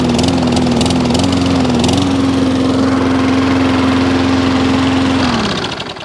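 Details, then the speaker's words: Wolf lawnmower after fixing cracked primer bulb; priming while running tested, then small engine holds a steady, even buzz without hunting or surging and winds down at shutoff; normal running. "So not a video fail, a video repair. So it was just a primer bulb."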